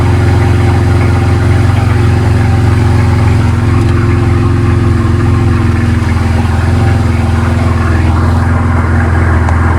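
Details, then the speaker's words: BMW Z4 N54 first start, not yet warm, after walnut blasting the intake valves and new gapped spark plugs, not run in a while: steady, even idle with a deep smooth drone and no knocks, misses or ticks over ten seconds; healthy. "But she's sounding good. She hasn't ran in a while. So I'm going to let it get up to temperature."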